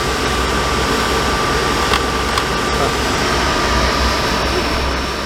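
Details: RV furnace in a motorhome test-run after LP system work, flue off: steady rushing blower roar with even tone, no scraping or ticking; the reported fan rub isn't showing.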